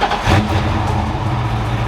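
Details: Foxbody Mustang V8 after a one-day engine build: deep, steady idle with even low rumble and no valvetrain ticking or clatter.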